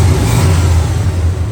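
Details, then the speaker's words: 1972 Chevrolet K10 Suburban V8 running after the exhaust manifold leak was fixed by fitting new fasteners: deep, steady rumble rising with throttle, no ticking or puffing at the manifold; sealed up, existing crack hasn't grown. "It's all sealed up, not making any noise. I looked for a crack down there, couldn't see one. Our crack over here still hasn't grown, so sounds good"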